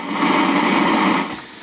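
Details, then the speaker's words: Accutrak VPE-GN PRO ultrasonic leak detector scanning a pressurised pipe: a steady rushing hiss for about a second, heard as a pitch change over the baseline static, then fading; gas escaping from a leak. "what you're listening for basically is a change of pitch as you go across something you hear hear that change um so anyways so that's that's about the leak size we have here"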